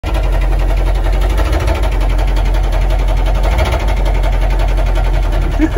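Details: Army Humvee engine running: heavy deep rumble with rapid hard regular knocking; rod knock.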